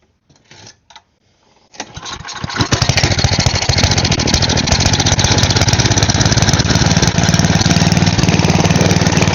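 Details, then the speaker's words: Side-shaft small go-kart engine, spark plug ruled out: a few failed pulls, then a slightly uneven, hunting putter; owner suspects another carb passage is still clogged. "Alright, so it might still need something else cleared out in there."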